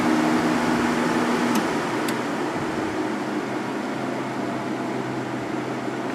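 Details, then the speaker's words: Sharp 10,500 BTU air conditioner after cleaning and oiling fan motor bearings: smooth steady fan whoosh, plenty of airflow, coasts long to a stop, previous bearing squeal gone; normal fan operation, no squeal. "yeah that is a major Improvement it's taking a nice long time to stop and stop making that awful squealing noise anymore"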